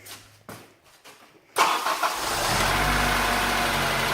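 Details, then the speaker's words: Honda Integra DC5 / Acura RSX base model after rerouting the serpentine belt to bypass the air-con compressor, whose bearing caused a whine: starter catches fast, smooth steady idle with no whine; normal start and idle. "yeah that sounded a heap better to what the old wine was"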